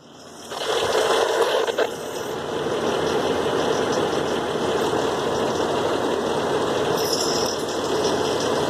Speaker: what this noise is coming from this damn truck. You can hear it rattling.